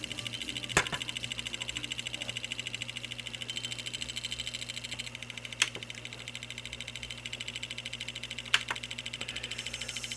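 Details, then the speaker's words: Sony MiniDisc recorder recording with the head lowered onto the spinning disc: faint, quick, uneven ticking about three a second over a thin high hiss, probably from dirt on the disc. "the disc is spinning and I don't know if you can see the head but the head here has been lowered down onto the disc you can actually hear it probably because there's dirt on the dis"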